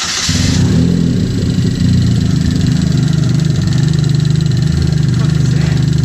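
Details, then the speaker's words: Boosted Chevy Cobalt after first boosted test pull: engine revs and settles with an uneven, lumpy pulse; internal damage suspected, likely in the head, melted spark plug suspected, not confirmed. "just heard the sound from the first pull and it's not very good"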